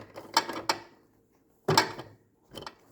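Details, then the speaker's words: Cub Cadet 31AM53L2596 snowblower, wheel drive trigger held and the wheel forced by hand: uneven ratcheting clunks as ungreased, worn gears skip and jump. "don't make contact anymore that basically all this stuff just starts to not exactly fall apart but it it will Skip and jump on this side"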